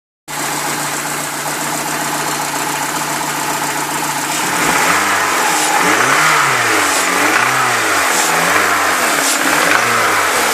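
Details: Peugeot 306 S16 engine: idles, then revs in swells up and down with a rough rising-and-falling drone underneath; abnormal engine noise, cause unclear.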